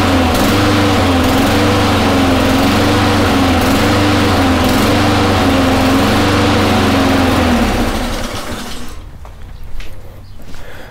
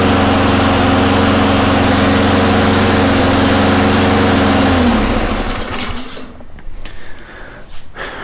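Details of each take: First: Honda mower engine surging: pitch keeps swelling and sagging as the choke slowly opens; flywheel key checked and not broken, carburetor to be removed and cleaned. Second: Honda mower after fixing surging with carburetor work (water or debris in the bowl suspected) and fitting a new gasket; it holds a steady, even drone with no hunting or surging before shutoff and wind-down.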